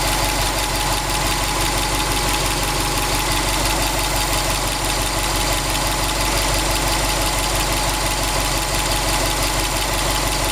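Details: 2002 Subaru WRX STi, warm idle, oil temperature 85°C, oil pressure 1.8 bar, ambient 21°C, 800 km after a short block replacement: faint, loosely regular tapping about three per second underneath; knocking of unknown cause.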